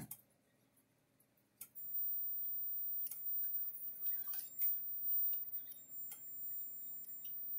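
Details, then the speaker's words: Kencove KF13000 fence energizer (Power Wizard-made, 13 joule, 110-120V) plugged in on half power: irregular sharp ticks and humming with a longer delay instead of a steady pulse beat. "sounds a little funny so let's um it's also a half power full power switch at the bottom here so it's on half power we'll turn to full power but we're gonna it's just clicking and making noise let's uh it's making this humming sound which is normal but it seems like it's longer delay to it"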